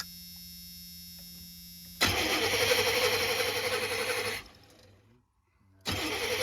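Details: Chevy G20 conversion van with a freshened fuel system: the starter spins the engine for a couple of seconds, stops, then cranks again without catching. Crank, no start, with no fuel from one dead injector.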